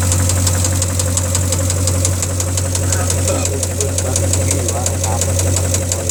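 Steady idle with a sharp, regular tapping, roughly three or four per second, riding above the hum; a knocking engine.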